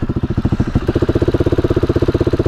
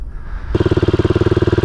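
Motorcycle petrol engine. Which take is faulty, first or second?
first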